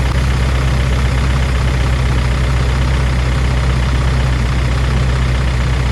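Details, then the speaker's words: P38 Range Rover, stuck valve/lifter after sitting all winter, fresh oil with Liquid Moly and Rislone added, warming up at idle: light fast ticking over deep idle, louder than at cold start, mostly right side; sticking lifter suspected. "Now that it's starting to warm up, you can hear the ticking from the lifters."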